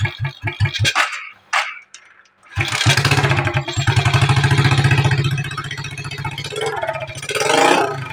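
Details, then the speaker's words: Smash 110 motorcycle before carburetor adjustment: a small single engine starts, runs a few seconds with uneven, lumpy beats, then dies without throttle because it will not hold idle. "ya Nah ya dia mati ya tidak mau nahan untuk langsamnya"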